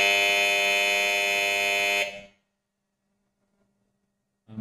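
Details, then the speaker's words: Power-cut and main-breaker-trip alarm wired with 230V relays, 230V buzzer and NO reset button: loud continuous buzz for two seconds, then silenced with the reset. Power failure alarm buzzer sounding. "மின்சாரம் தடைபடும்போது எச்சரிக்கை ஒலி எழுப்புவதற்காக இந்த மின் இணைப்பு அமைக்கப்பட்டுள்ளது . பிரதான breaker trip ஆனால் அது அலாரத்தையும் ஒலிக்கும்."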